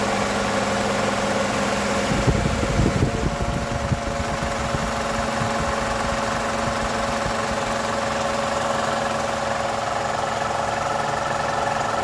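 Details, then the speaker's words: 2012 Toyota Camry 2.5L 2AR-FE after balance shaft repair, at normal operating temperature after about 10 minutes, idling with AC on: an even low hum with faint ticking. The rattle is much improved; this is normal for the engine. "so we've been running for about 10 minutes we're at normal operating temperature and this is the noise so it's way better"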